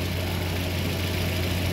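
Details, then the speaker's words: Suzuki Dzire after a top overhaul for overheating (new head gasket, refaced head and block), solid valve lifters, a little air left in the cooling system: smooth, even idle hum with no ticking or knocking; very quiet, healthy. "Tahimik ang under oh. Very silent ah."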